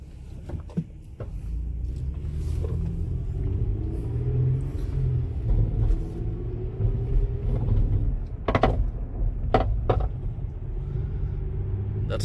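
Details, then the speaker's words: 2006 Toyota Sienna road test before repair: sharp irregular clunks every few seconds over low road rumble as the right front end loads. The cause is a rust-corroded, broken-through strut tower mount. "So something's definitely loose over there by the strut mount section."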